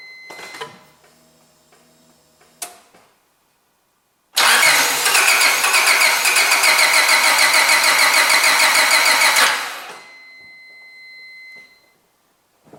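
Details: Gasoline car engine that won't start, being tested for spark at plugs, cables and ignition coils: starter cranks steadily about three to four pulses a second for five seconds but engine never catches; crank no start.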